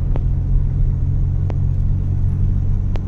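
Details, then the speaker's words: Honda Civic LXi manual that previously misfired badly and dropped idle with aircon on, after repair: steady even low rumble while driving on road, no stumble, surge or miss; pulls smoothly, running normal now. "Tsaka ang takbo sir, nung unang pinatakbo ko kayo, tsaka ngayon malaki oh, yun, tama."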